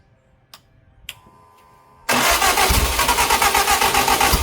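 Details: Lotus Europa Twin Cam with a 123 Ignition distributor and Stromberg carbs, on its first start after valve clearances were found way off and carbs were blowing fuel backwards. A few clicks, then it catches and runs rough and popping around 3,000 rpm; ignition timing is suspected.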